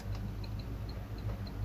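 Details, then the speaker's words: 1970 Chevrolet Chevelle idling: light steady turn signal flasher clicking about three per second over deep V8 rumble; exterior lamps work but dash indicators work intermittently on driver side and not at all on passenger side. "are not working either um well they're working on the outside of the car but the indicator lights are not working it does in the driver's side intermittently um it doesn't in the passenger side at all you can hear it clicking but it doesn't work"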